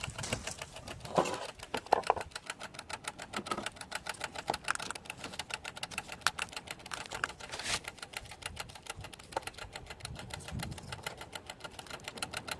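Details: Alfa Romeo 156 1.6 TS that won't start: fast, steady fuel pump relay ticking at several clicks a second, no engine catching, with the diagnostic light flashing. Cause was a failed throttle body/ECU; replacing the throttle body, ECU and code box fixed it.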